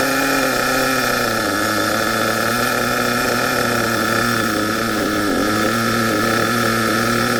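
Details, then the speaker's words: HPI Savage 21 monster truck with K4.6 nitro engine after low- and high-end needle tuning, not run flat out, one tire off rim: even, clean high-pitched buzz with slight pitch shifts through gear changes; running well tuned. "I reckon now that is running M according to what I think see you tell me what you think"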